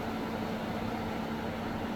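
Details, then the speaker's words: Polaris Xplorer 400 4x4 ATV with 222 miles, non-running when bought: the cooling fan runs although the engine isn't hot, giving a steady whirring hum with a faint uneven rattle. The owner suspects something loose or a mouse nest in the fan. "I don't know why the fan's on. It's not hot. Maybe that's just something's slacking around in that fan over here."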